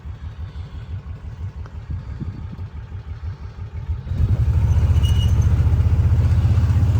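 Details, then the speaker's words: 2012 Kawasaki Mule 4010 with a liquid-cooled V-twin and 250 hours, after a broken spark plug was replaced. An even, steady low thumping picks up cleanly with the pedal floored, both cylinders firing; it runs normally. "Oh yeah, she's running good now. Uh, mash the pedal all the way to the floor. Runs like a Cadillac."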